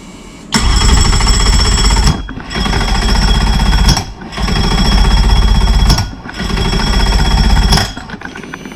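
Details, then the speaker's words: 2005 Mercury Optimax 115 two-stroke outboard after new ignition, kill switch, battery, plugs and used PCM; four rough, harsh two-second cranking bursts with rapid uneven chatter, never starts. Owner suspects injectors next. "that don't sound normal somebody help it's doing a little bit more than it did before but it's still not not cranking over not starting huh"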